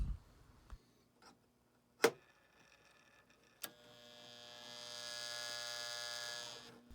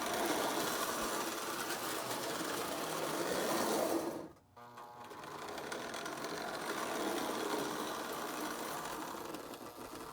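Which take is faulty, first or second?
first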